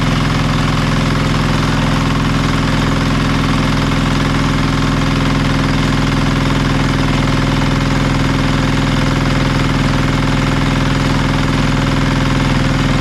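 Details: Marketplace diesel generator of unknown condition, tested after reassembly: steady, even chug at constant speed, no misses, knocks or hunting; engine healthy but generator still makes no power, more digging needed.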